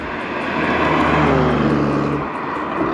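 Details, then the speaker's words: BMW M240i B58 with upgraded turbo, port injection and new 33% larger Nostrum injectors, break-in after install, recorded outside the car: deep smooth steady roar, no misses, then eases off; no codes, normal running. "oh this thing sounds so good on [Music] diesel oh yeah that diesel woo that's a rrap boys she's good"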